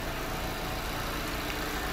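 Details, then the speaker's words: 2017 Mazda 6 2.5 L with code P0421, shaking at idle: rough, uneven, hunting idle with a steady airy hiss from the manifold, like fuel cutting; later fixed by replacing the catalytic converter. "So also I hear like air coming from this manifold, like air. You can hear the hazy noise, like even going up and down, like boom, boom, boom, boom, boom. Like you feel like cutting fuel."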